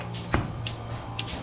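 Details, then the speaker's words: Milking unit on a small Minnesota dairy farm, heard at the milk line. Sharp clicks come about every half second over a steady vacuum pump hum as the pulsator alternates sides, opening and closing the rubber inflations; this is normal operation. "you hear that clicking it's it does two does one side other side it it it pulsates back and forth the sides and it just opens and closes that rubber inflation"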